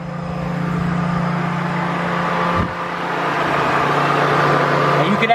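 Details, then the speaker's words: 2004 Mazda MPV LX, code P0480 fan relay 1 control circuit: with key on and engine cold, constant whooshing drone as cooling fan runs stuck on high speed. "as soon as I put the key on the fan kicked on at high speed and this vehicle is cold as you can see the temperature gauge I mean it's down to cold so there's no way that fan should be on right now"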